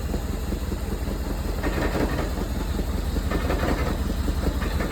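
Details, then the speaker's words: Cold car, started after sitting about a month with a new battery, idling at rich setting: rough idle with a loose buzzing rattle pulsing with the engine beats, which stops when the bonnet is opened. The bumper and front panel are rattling. "Let's get under the bonnet. That means it's the panel's rattling, as you can hear it stopped."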